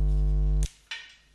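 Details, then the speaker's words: Loud, steady low mains buzz in a USB headset on a laptop, caused by an ungrounded electrical connection while charger is plugged in; cuts off abruptly with a click when unplugged. "this sound is caused by an ungrounded electrical connection"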